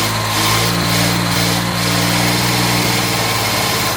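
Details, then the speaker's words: Jaguar MKII, freshly rebuilt petrol engine at first start: uneven, stumbling idle with irregular dips and thumps in the low beat, sounding like a misfire; cause unconfirmed. "that sounds like it's misfiring"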